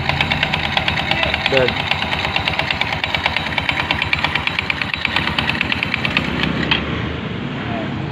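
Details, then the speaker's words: Rusi Fashion 125 scooter noisy on first start: rapid, uneven slapping flutter from the CVT side over the running engine, caused by a loose, worn drive belt, which is to be replaced. "na ayan guys yung belt niya masyadong maano magalaw yung belt yan kaya maingay yung ano niya"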